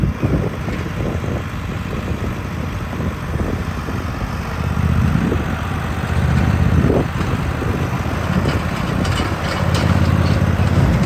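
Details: Husqvarna GT 54CS garden tractor after maintenance (plugs, filters, 10W30 oil), being driven: even low thrum rising slightly under load, no knocks or misses; normal running before later no-start.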